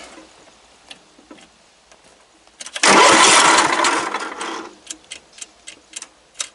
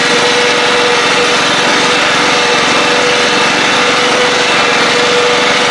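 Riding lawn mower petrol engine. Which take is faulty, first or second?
first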